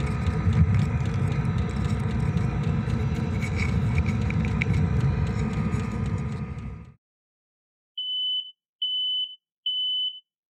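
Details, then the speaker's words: Camper van in Arctic winter on Alaska's Dalton Highway, subzero: engine rumble stops, then three high electronic beeps as the carbon monoxide alarm sounds at 3 a.m., cabin stuffy; diesel heater then checked, cause unconfirmed. "Basically, 3 in the morning, the alarm, the CO2 carbon monoxide alarm went off and woke us up, and it was smelling a little stuffy in there."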